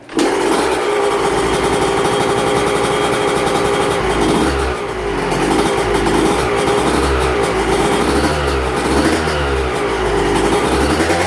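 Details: Yamaha YZ125 two-stroke dirt bike, first fire-up after a cracked cylinder was replaced with a replated one, started on choke: catches and revs up and down cleanly, crisp throttle response with no knocking or rattles.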